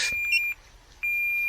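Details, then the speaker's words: DJI Neo 2 drone after a low-impact crash into bracken near a branch: two long, high, even beeps about a second apart, the locator alarm, before it is turned off in the settings; drone found undamaged. "Okay, I'm going to go back into my settings now. Stop it from beeping."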